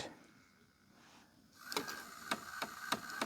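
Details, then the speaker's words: Hitachi 32-inch TV/DVD combo, model VC326000, after the laser was cleaned and the disc reads: an eject attempt gives a motor whir, then uneven clicks about three a second as the load/eject mechanism strains and slips. The sensors work; a cracked roller drive gear is the likely cause. "Okay, it's trying. There's something wrong with the loading and unloading mechanism."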